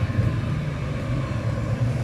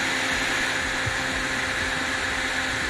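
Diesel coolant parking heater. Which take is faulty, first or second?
second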